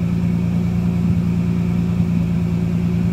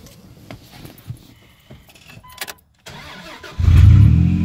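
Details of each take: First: Dodge Dakota just after engine replacement, at normal running temperature: steady, even low idle rumble with no knocks, misses or ticks; normal idle, though idle is said to sit slightly high. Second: Dodge Dakota with a newly replaced engine, warmed to normal running temperature: fires and holds a smooth but raised idle; misadjusted throttle position sensor triggers a fail-safe that bumps the idle up.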